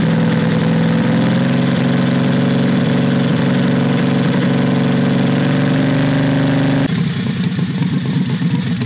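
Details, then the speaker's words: Predator 670cc V-twin vintage dragster go-kart running with its newly made header: steady, deep exhaust note with a light metallic buzz; the unsupported exhaust is rattling and needs a hanger. "sounds good dude definitely sounds deeper than the zoomies here i can see with the uh the exhaust is rattling a bit we're gonna have to make a type of a hanger or something for it"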